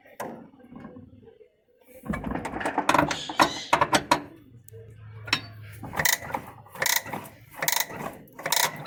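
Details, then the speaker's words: Electrolux 8 kg washing machine, model LM08, during reassembly after bearing and seal replacement: irregular ratcheting clicks and clunks in bursts as the drum turns with the brake band released, because the brake fork is not engaged. "mas na verdade quando ela vai bater o Freio ele tem um garfo que ele encaixa ali e ele não deixa fazer esse barulho que tá fazendo aqui ó é porque o garfo não dá ele não tá engatado"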